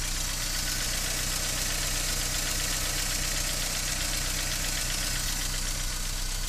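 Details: BMW E46 318i 118hp cold start: fast light ticking, roughly two to three a second, over the cold idle, sometimes stopping and returning after throttle; hydraulic lifter rattle, fixed by replacing the lifters.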